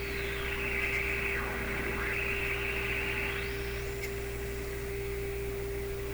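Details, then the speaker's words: Clairtone console stereo during AM band alignment: constant hiss, steady low whistle and drifting squeals over hum; audio signal not high enough above the receiver's own noise. "It's just, you know what, the audio signal is not high enough above the noise here, I think. The noise is what we're seeing on that meter."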